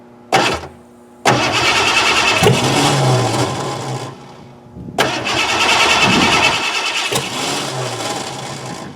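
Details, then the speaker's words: 1988 Ford Crown Victoria, sat about 5 years, after cleaning a corroded distributor cap, with a battery fitted and on charger: two cranking bursts at about three beats a second, never catches; crank no start. "we cleaned the distri RoR cap we put a battery in it we have the charger onto it it still does not want to fire"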